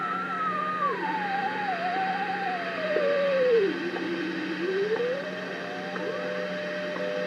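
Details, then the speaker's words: Allied AX-190 ham receiver during alignment of the 100 kc crystal calibrator on a long-wire antenna: a howling beat note slides down, bottoms out, and climbs as trimmer TC17 is turned toward zero beat, not yet zeroed. "boy sounds like a dog in pain that's pretty much zero beat"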